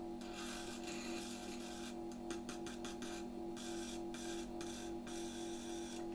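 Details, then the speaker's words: 1973 Predom-Metrix Z-51B Polish fan motor, bench-run after resoldering its wires during repair: steady low clean hum, no scraping or rattle, spins freely; normal running. "O, bardzo fajnie się obraca."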